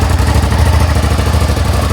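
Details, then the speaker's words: Suzuki SV650 motorcycle, cold start with no choke, loud exhaust: deep lumpy even twin idle, no knocks or rattles; normal cold idle. "it's quite cold that's what it sounds like"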